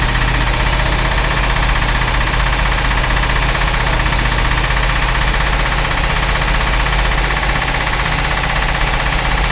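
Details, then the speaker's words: Chris Craft Commander 410 port 454 V8 after a ten-year layup, with a rebuilt carb and timing at 8° BTDC: loud, steady, even rumble without misses or knocks; runs well, no rebuild needed, though one exhaust manifold leaks water. "okay okay this thing's running i've got a pretty bad water leak back here on one of the exhaust manifolds but then this thing is running so does not need a complete rebuild"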